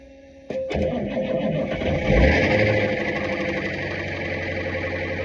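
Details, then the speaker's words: Bus that wouldn't crank on the key, started by jumping the starter solenoid while spraying ether: catches with a sharp burst, roars unevenly, then sags and won't keep running; stalls after starting. "it's running just won't stay"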